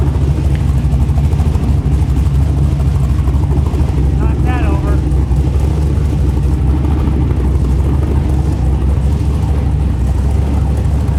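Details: LS V8 (LS3 tags) in a rock buggy build after start prep, owner's tune loaded, header hot: deep, even V8 burble holding steady idle, no misses, knocks or hunting. Idling better than before; small leak, transmission fluid likely low.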